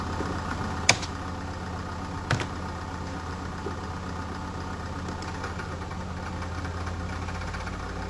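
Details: Medion PC sounding like a diesel engine: steady low hum with dense diesel-like knocking clatter and two sharp knocks, an abnormal mechanical knock inside the PC.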